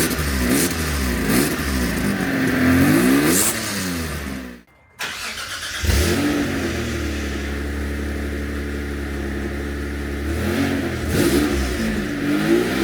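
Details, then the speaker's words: 1992 Dodge Stealth before front pipe replacement; engine revs with a raspy, puffing blat from the badly leaking flex section of the front pipe, exhaust leak, possible further leak at rear manifold. "now I'm actually going to replace my oxygen sensor at even after getting that little joint TIG welded I still hear a little bit of a leak it could be coming from the rear manifold"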